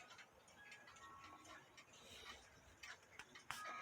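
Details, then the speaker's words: Regula 701 one-day cuckoo clock movement reassembled with fan blades on, now on the specified 420 weights instead of heavier ones: soft, light ticking with no rubbing or noise, running fine. "I got 420 on them now, but as you can see, it's working just fine with the weight that it calls for."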